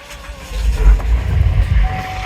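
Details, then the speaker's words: Flip car on first start: uneven, labored cranking for over a second before it catches; hard starting with check engine light on, no stored codes, codes possibly cleared. "s yes but barely that thing is struggling to start and it looks like there's a check engine light on"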